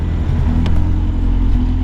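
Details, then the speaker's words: Car engine restarted after fixing a loose wire and a spark plug issue, running rough with an uneven, lumpy note under a steady drone, worse than before; RPM gauge not working. "the car is definitely running a little it's running worse than it did before"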